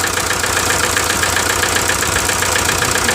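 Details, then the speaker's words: 1998 VW TDI at nearly 500,000 miles, run about 80% on waste vegetable oil: lumpy diesel idle with a steady uneven chuff, roughly twice a second, one cylinder dropping out; train-like misfire and blow-by from low compression caused by a stuck piston ring. "So I'll start up and you can see the misfire and the blow by. Kind of like a train, huh? That's all coming out of the motor."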